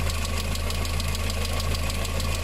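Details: VW engine with timing chain, idling: a fast, even, light tick over a steady idle. Oil and water have mixed through an early-stage failed head gasket, so the hydraulic lifters tick.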